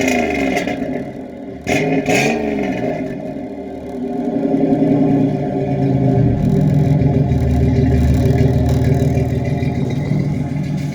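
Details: 1987 Chevrolet Celebrity Eurosport 2.8 V6 (owner believes HO), 4-speed automatic: deep burbling idle swells into loud throaty revs and settles back; no mechanical knocks or rattles.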